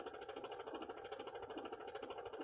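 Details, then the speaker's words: Neglected, filthy vehicle at about 144,000 miles, quiet cabin: faint fast even ticking, about nine per second, from the HVAC controller; cause unknown. "the hvac controller makes a little tick tick tick tick tick tick tick noise"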